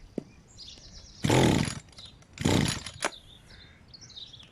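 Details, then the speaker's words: Old Stihl FS 81 strimmer, air filter cover off, brake-clutch cleaner sprayed in as starting fluid: two short half-second bursts of two-stroke firing, each dying straight away; catches on spray but won't keep running, cause not confirmed. "And yeah. See if it goes. That did start."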